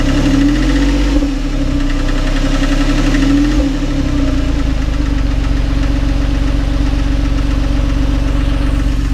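Loud steady idle with a fast, uneven knock riding over the deep drone; a knock from inside the engine, cause not yet pinned down.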